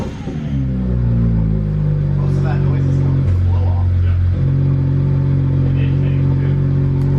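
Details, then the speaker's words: BMW 1M with OEM downpipes refitted, revving: the engine climbs through a rev, then holds a steady deep drone with a raspy edge. That rasp is just the turbo blow-off valve, nothing wrong. "That like raspy noise is the blow off."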